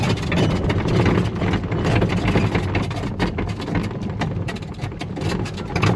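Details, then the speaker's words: Coleman golf cart driving: loose, irregular clattering over a low engine drone as the roof bounces against its metal frame on metal washers and nuts; fix is rubber washers between roof and frame. "Chances are you hear a lot of rattling. And in this video, I'm going to show you what to do to fix it."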